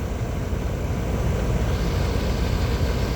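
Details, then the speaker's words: Air conditioner condenser that was not running, after bad capacitor replacement and hard-start kit fitted: constant low hum and fan rumble holding steady, no hum-and-click stalling; condenser running properly. "it's running and yeah this was another simple service car condenser not running bad capacitor and easy peasy baby"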